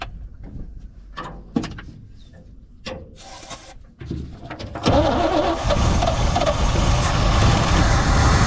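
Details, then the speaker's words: 1972 Chevrolet C20 pickup V8 after 20+ years in storage: ragged, lumpy running after uneven cranks, struggling to hold idle. Owner suspects the fuel pump isn't supplying enough fuel yet and may be bad. "i don't think we probably got quite fuel from our fuel pump yet i think it would idle well we're we're getting there"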